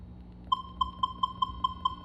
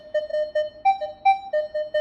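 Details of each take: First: Minelab Equinox 600/800 metal detector, volume at maximum 25, threshold level raised: a faint hum, then a clear mid-pitched threshold beep about five times a second. Normal threshold tone that will change over deep targets. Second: Minelab Equinox 600/800 metal detector using the advanced F2 setting over an open bottle cap: clear repeating mid-pitch beeps with a couple of higher tones, a solid good-target signal with low iron bias.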